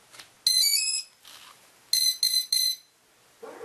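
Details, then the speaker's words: Hexacopter ESC calibration after replacing a faulty Deans connector that caused odd beeping on one motor: one long high beep then three quick beeps, normal calibration confirmation. "And you'll hear a couple beeps. There we go. And then you bring the throttle down."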